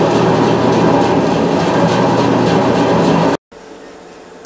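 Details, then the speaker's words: Band saw running with a badly kinked, damaged blade and the thrust bearing moved out of adjustment to suit it: a steady rhythmic knock about four times a second from the kink. "actually cuts better with the kink in it but let's look at the noise it makes"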